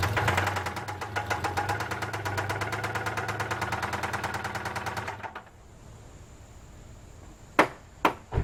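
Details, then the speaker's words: 2000 Isuzu Rodeo 3.2 V6 running: sharp steady knock about two a second from a worn rod bearing; bad connecting rod and crankshaft to be replaced. "Today, we're gonna remove the engine out of this Isuzu Rodeo because it's knocking. To those of you who don't know what knocking is, listen to this engine."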